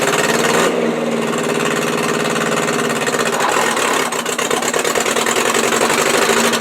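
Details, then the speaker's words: 1959 Morris Minor 1000 at idle: rough loping idle with irregular dropped beats, one cylinder missing; misfire diagnosed as bad number two spark plug wire. "yeah uh yeah yeah this is definitely this thing is definitely misfiring it's definitely the spark plug wire"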